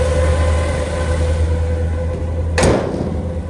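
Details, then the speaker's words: 1962 Chevrolet Bel Air sedan, factory inline six with Powerglide automatic and upgraded aluminum radiator, just fired up: steady, even low rumble, no knocks, misses or ticks, one brief bump near the end; super smooth, healthy idle. "Okay. Super smooth."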